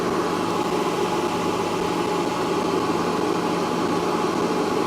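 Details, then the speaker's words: Van inverter on a LiThink 12V 280Ah LiFePO4 battery, 3.5 minutes into a 1400 W popcorn-making load at 12.3V, battery at 92%. Steady, even whir with a faint constant tone and no rattle: the inverter cooling fan is running normally. "3 and a half minutes and we're still spinning. 1400 W. The fan also started on"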